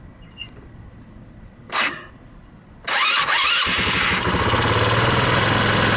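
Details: 150cc scooter after replacing broken intake manifold spacer causing vacuum leak: quiet cranking, then catches into fast steady buzzing idle around 2,500 rpm; runs better but idle still rises too high, owner suspects another vacuum leak.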